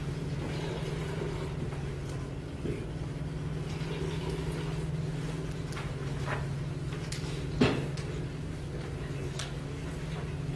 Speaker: this pump is in cavitation listen to it can you hear it this pump is in cavitation it means that the pump is starved of energy on the suction side